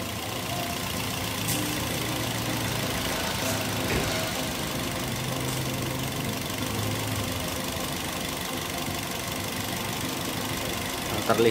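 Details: Toyota Yaris (Bakpao) with coil covers removed, idling before each of the four coils is tested: uneven, stumbling idle with irregular thumps and visible shaking; one cylinder is missing from a weak or dead ignition coil.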